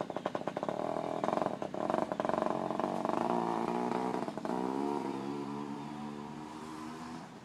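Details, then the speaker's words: Yamaha Chappy small two-stroke after HPI system install, possibly flooded, choke off: buzzes unevenly with wandering pitch then drops off; rough uneven running, owner suspects too many grounds or kill switches. "Take it off, choke. Doesn't sound right. What the hell?"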